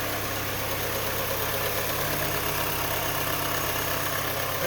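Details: 2007 Mini Cooper R56 idling just after all four spark plugs were replaced: smooth, even four-cylinder idle with a steady note and no misfire stumble or ticking; the engine runs fine.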